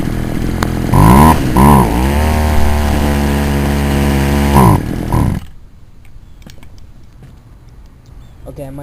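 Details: Poulan Wild Thing two-stroke chainsaw, warm, idling decently before high-screw carburetor adjustment; two quick throttle blips then a held high rev with slightly wavering note; owner suspects compression ring or carb kit needed; running rough.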